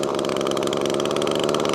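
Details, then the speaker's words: Echo ES2400 two-stroke leaf blower with a new replacement carburetor. The mixture screw is turned in, restricting fuel, and it gives a ragged, surging, stumbling buzz and barely runs; lean mixture before it is backed out half a turn. "let's turn it on Mick now listen it doesn't want to run at all I'll screw it out about half a turn"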